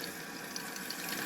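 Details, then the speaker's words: Toilet cistern refilling after replacing the broken syphon diaphragm that stopped it flushing, water turned back on slowly at the valve. A steady, even hiss with no gurgle, spurting or dripping; it fills with no leaks, a normal refill. "So that's now full of water. It's filled up and we haven't got any leaks."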